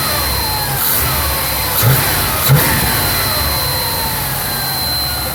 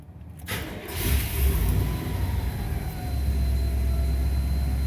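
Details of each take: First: 1991 Chevy K3500 4x4 dually with a 454 (7.4L), warm after a drive, following a tune-up with a new distributor, air cleaner off: settles from a rev to idle with a clear whistle that drops in pitch. It is an intake whistle of unknown source that seems not to occur with the air cleaner on. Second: 1991 Chevrolet K3500 4x4 dually with 7.4 454 V8, after tune-up including a new distributor, already warm from an earlier drive; brief crank then it catches at once into a steady even idle with good oil pressure; normal start.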